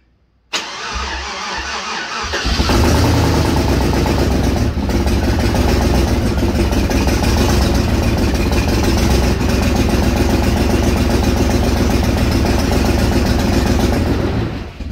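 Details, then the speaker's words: Chevrolet Trailblazer 5.3L V8 after DOD/AFM delete, first start after reassembly with coolant topped off. Engine cranks, catches and settles into a loud, raspy, blatting idle; exhaust downpipe was cut and not yet welded back, causing the leak. "Yeah, I was just going to explain to everybody that it's so loud because we had to cut the exhaust manifold,"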